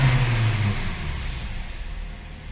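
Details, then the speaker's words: 2010 Hyundai Tucson petrol, no fault codes, stalls after about 3 km and hard to start: engine revs up then RPM sinks and fades by itself without throttle change; failing fuel pump motor assembly suspected. "Ayun na. Kusang bumabagsak yung yung kanyang RPM. Alam naman natin, pag RPM ay naghihingalo, matindi niyan, pwede talaga fuel pump ang tama."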